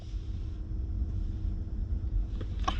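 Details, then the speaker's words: Porsche Cayenne cabin blower fan after repair of its known squeal: low, even fan hum with no squeal or chirp, even with fan speed raised; the noise has completely disappeared and the blower sounds healthy. "n'a plus du tout de bruit ça c'est top on va essayer d'augmenter un petit peu donc là objets augmenté à montils on n'a plus du tout le bruit donc le bruit a totalement disparu"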